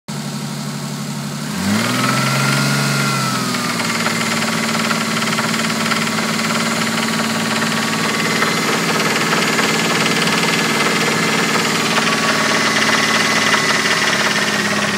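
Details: 1986.5 Toyota Supra MK3 turbo with a 1989 Supra engine: catches and settles into idle with a dull, regular knock about three or four a second; rod knock, suspected in cylinders 1 and 5.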